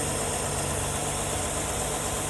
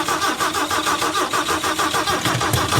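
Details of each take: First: 1974 Ford E100 SuperVan old V8, long parked, right after filing the distributor points: fires right off and idles on choke with an even, unbroken low hum, no misses or knocks, no throttle feathering needed. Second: 1974 Ford E100 SuperVan that had sat unused is cranked with fuel in the intake and a jump from a truck. Slow, labored cranking of about three turns a second, no start; the battery is suspected dead.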